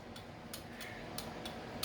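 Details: 1979 Lotus Esprit with new custom wiring, left blinker on stalk: crisp evenly spaced ticks about three a second in a quiet space from flasher relays integral to the fuse box; turn signal flasher working normally.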